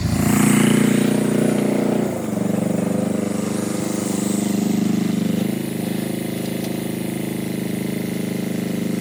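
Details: Power Pony with a two-cylinder Perkins diesel, after bleeding the fuel system (suspected run dry, petcock off): even clatter at a steady fast idle with a couple of small speed changes, no misses; normal running.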